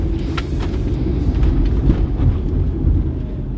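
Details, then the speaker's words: Honda Element after front suspension rebuild (new ball joints, lower control arms, struts, end links): steady road rumble while driving with no squeak, creak, clunk or rattle from the front. Steering wheel off-centre, needs alignment; quiet front suspension. "all right steering wheel's off now obviously it's uh messing with the tie rods and that kind of stuff but it is so much quieter here there's no more of that squeak jounce jungle"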